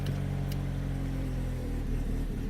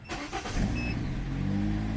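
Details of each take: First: 2013 Kia Cerato 1.8 automatic with a no-start fault, running on a bypassed fuel pump: steady idle, then it dies within a second when the pump is unplugged. The pump works; the control signal through the EMS and relay is suspected. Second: 2013 Kia Cerato 1.8 automatic with a no-start, suspected fuel problem: with the fuel pump bypassed and powered from a jump starter, it cranks briefly, catches and settles into a steady, even idle, so the pump works.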